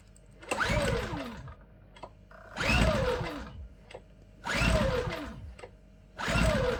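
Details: New Champion 8200i DF EU dual-fuel inverter generator (made 03/22, bought June 2023) on LPG from a 24 L tank, first start attempt: four pull-starts, each a short rising whir that dies without catching. Won't start; cause unknown.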